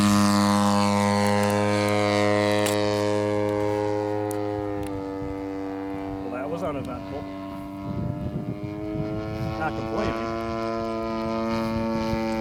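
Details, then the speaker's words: BLE 55 rear-exhaust engine in a Top Flite giant P-40 RC plane on its maiden flight, running at half throttle; strong, steady buzzing tone with no misses or surging, running clean though slightly rich on the high end. "What engine in that puppy? BLE 55 rear exhaust. No problem hauling the mail. That's only half throttle."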